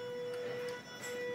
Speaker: that humming you can hear is actually because the Arduino can only drive this motor at 500 HZ so that's what you're hearing